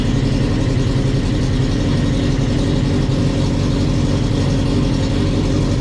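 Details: 2007 Prince LSR sports racer with 2008 GSXR1000 four-cylinder engine, 205 hp: loud, steady high-strung four-cylinder note holding even with no misses or knocks; healthy engine.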